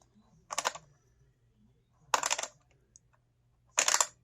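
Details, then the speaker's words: Arrma Vorteks RC truck drivetrain: three bursts of rapid, harsh, extremely loud clicking when run, binding up a little at one point; cause unknown. "I'm getting. When I start to run it, and it's extremely loud when operating. I do get to a point right here where it kind of binds up a little bit. So I'm not sure what that is."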